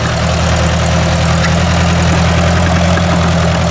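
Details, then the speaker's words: Ford 800 tractor pulling a disc: deep, steady, even engine drone with no skips or stumbles, running well after earlier rough running; owner guesses an air bubble had cleared, unconfirmed. "Yeah, it's just running beautiful now. What the heck was going on before there? I don't know."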